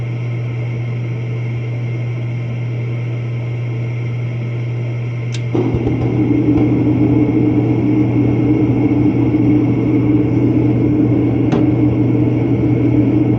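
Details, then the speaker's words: Commercial office heater after a new universal igniter was fitted and adjusted into the flame; steady low hum, soft click and whoosh as the burner lights, then a smooth, even blower roar. Normal burner ignition and blower operation. "but now it's lighting right up every time and blur comes on it sounds good everything looks really good"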